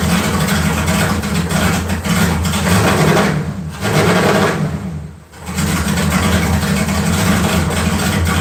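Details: LS 4.8 V8 swap on 60 lb injectors with a new remote tune, after struggling to run properly; holds a steady, fairly even run with two brief dips where it eases off before recovering, starts and keeps running.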